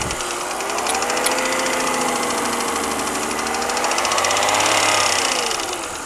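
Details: BMW 323i petrol engine running with a light, quick metallic ticking or pinging from the top end, about three to four a second; it got louder after a full head rebuild and valve job.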